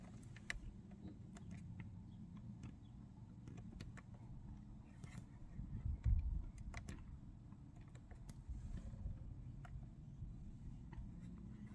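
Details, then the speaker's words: 2024 Toyota Corolla LE 2.0L 4-cylinder at 50,000 miles, started just after an oil change (oil changed every 10,000 miles), checking sound and leaks: very quiet, smooth, even hum with no knocks, ticks or rattles; normal idle. "Now let's go ahead and start the engine, and we'll listen for the way the car sounds. Make sure it sounds normal, and then we're also looking for leaks."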